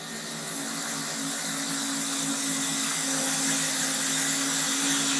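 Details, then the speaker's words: Jandy CS250 canister pool filter restarted after cleaning the filter core and salt chlorinator: steady pump hum with a constant airy hiss as trapped air bleeds from the open vent while priming, capped once water spits out. "Now we actually still have the vent open here, because what we want to do is make sure all the air bleeds out."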